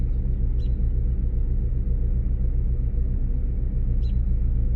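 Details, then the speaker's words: 2006 Lincoln Town Car idling after sitting two weeks, ran rough; deep uneven loping rumble from misfire, codes P0351 and P0354, ignition coils and plugs suspected. "I just heard the engine I felt the engine come down and feel that little bit of a rumble almost feels like something's misfiring"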